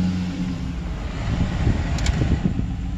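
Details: Chevrolet Silverado 5.3 V8 with DOD/AFM lifter collapse (misfire on cylinder 4), starting after lifter replacement: engine catches and settles into a deep, steady rumble with no ticking on top, a clean healthy start.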